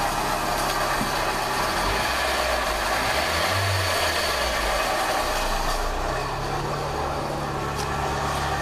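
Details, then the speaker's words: Toyota Echo engine idling after an intake replacement, with the radiator removed and no coolant: a loose, uneven rattle at roughly four per second over the idle; worn water pump bearing letting the pump wobble, the water pump is finished. "Okay, sounds good. Buddy, water pumps had it. What caused that to happen?"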